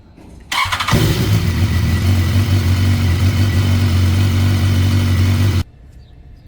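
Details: 2016 BMW S1000R engine, cold-started after warm-up, catches quickly and settles to a steady, even idle with no startup cam chain rattle, after the OEM hydraulic cam chain tensioner was replaced with a manual one.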